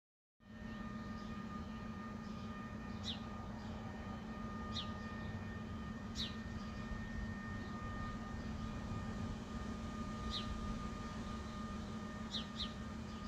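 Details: Constant low drone with steady higher whistling tones and occasional bird chirps, recorded within a property boundary; a buzzing nuisance noise attributed to Spooner Industries, Ilkley, heard over months, mostly at night between 2am and 5am, loud enough to wake.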